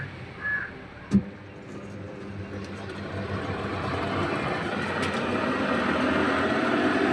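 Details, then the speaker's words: LG top-load washing machine with excessive noise during operation: deep rumbling roar building as the drum spins up; caused by the clutch, which water has entered and rusted on the outside. "இதுதான் அந்த சவுண்டுக்கான காரணம் இதுதான் clutch என்று சொல்லுவோம். இந்த கிளட்ச்ல பார்த்தீங்கன்னு சொன்னா உங்களுக்கே தெரியும். கிளட்சால வந்து தண்ணி இறங்கி இருக்கு. கிளட்ச் வெளிப்பக்கம் எல்லாமே வந்து கரல் பிடிச்சிருக்கு."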